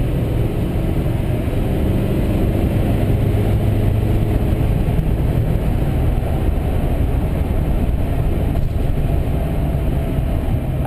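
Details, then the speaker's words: 2005 GMC Sierra 2500HD Duramax diesel with new 4-inch Corsa/Jamo/FTE exhaust, in-cab on road: deep, even pull rising smoothly with throttle, turbo audible, no hiss, puffing or rattle; healthy. "so yeah you can actually hear it idle right now I hear the motor or the turbo but is it has a different tone on it idles too so let's H gas it"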